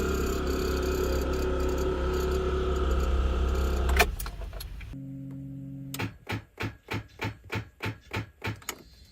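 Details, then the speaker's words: Car with discharged battery from failing alternator/voltage regulator; slow heavy cranking pulses about three per second that never catch; no-start from discharged battery. "Una batería descargada no permite realizar el encendido y se puede escuchar algo así."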